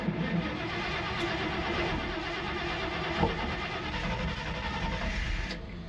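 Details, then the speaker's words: 1968 Dodge D100 Sweptline short bed, 318 V8: engine catches and settles into an even, steady run with no stumbles or misses. Running again after the old gas tank, completely full of crud, was swapped out. "for it's finally running it's a week later but we've got it figured out now all we had to do is uh swap out the gas tank cuz the old gas tank was completely full of crud"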